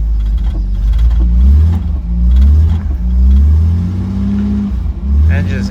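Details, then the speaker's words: 1968 Jaguar E-type Series 1 convertible that sat about two years, slow-cranking and probably flooded with old fuel: it catches into a deep, slightly uneven rumble swelling with throttle blips. It now runs, with the flooding cleared. "healthy probably just a mixture of old Fuel and it being flooded like crazy"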